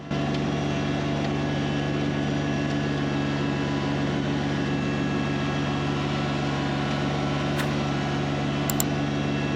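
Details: Kubota BX1870 diesel with 54-inch mower deck climbing steep hills through tall weeds, mistakenly left in high gear instead of low, with too much rear ballast: constant whine over a labouring drone; transmission whining under load.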